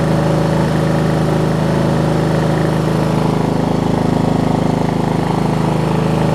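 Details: Wizard (Craftsman-type) riding mower, single-cylinder, running after a new carburetor replaced the worn-out old one: steady, even thrum holding constant speed without surging or misfiring; normal idle.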